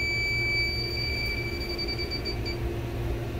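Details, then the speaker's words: Reach-in cooler not cold enough, low pressures: charge recovered, nitrogen with trace refrigerant at 211 psi; leak detector beeps rapidly, about three a second, over room hum at the cold rail, confirming a leak there. "we're just doing a leak check and I have a hunch that there's a leak in the cold rail the other things going berserk all around the coal bro"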